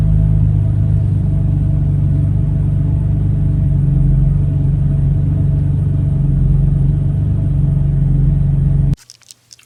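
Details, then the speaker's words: 2015 BMW F80 M3 with a previously installed aftermarket AFP intake, cold start on a cool day: deep idle sags and hunts near stalling, then revs up; check engine light for running lean. Replacing the intake cured the cold rough idle. "it goes close to dying and then it just revs up you know and the check engine light i had was for the car running too lean"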